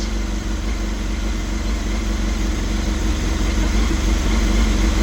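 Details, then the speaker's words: 1989 Honda CBR1000F inline-four, abandoned over 10 years, first start fed from a small funnel tank with no coolant: smooth, even low burble at a steady beat with no knocks or misses, like factory new; normal idle. "No way. Oh my gosh. It sounds like it came out of the factory. Wow."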